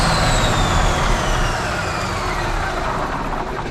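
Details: 1977 Peterbilt 359 diesel, first start after sitting 20 years: constant hard roar at very high revs with no dip or settling, beyond throttle control; diesel runaway.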